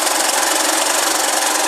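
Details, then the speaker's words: 2009 Honda Fan 125 single-cylinder motorcycle idling with fast tinny metallic clatter from cylinder head; valve cover removal shows loose, heavily burnt cam chain, tensioner checked; clutch also slipping. "a corrente de comando está folgada ó uma corrente como também já falou que ela está fa é muito tá bastante queimada"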